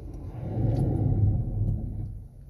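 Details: 2017 Kia Forte LX, about 50,000 miles, front brakes; deep rough grinding growl as the car rolls and brakes, metal to metal; pads worn through, needs new pads and rotors.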